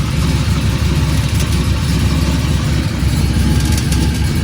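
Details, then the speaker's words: Chevy small-block V8 Cutlass with new exhaust and new mini starter, at idle: steady low rumble with an uneven noise underneath, owner unsure if it is the torque converter. "yall here that the noise I don't know if that's the T converter or what"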